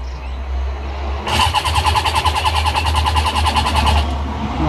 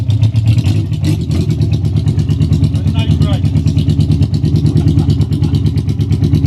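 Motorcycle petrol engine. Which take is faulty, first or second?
first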